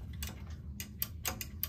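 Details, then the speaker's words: Electric clothes-drying rack with a broken wire, outer cover removed to test the limit switches: six crisp single clicks at irregular intervals over a faint low hum. Each switch snaps positively and the limit switches are fine. "Listen to this sound This No problem at all"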